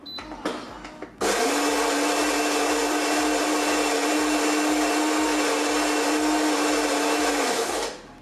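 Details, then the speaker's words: Philips LatteGo coffee machine, milk frothing retest after the solenoid valve check: a click, then a steady hum with smooth hiss for about six seconds, tapering off. Steam pressure pumps inward and frothing sounds normal. "we are waiting for now, everything is happening as it should, the steam pressure is pumping inwards It looks like this that it's OK It looks like it's OK"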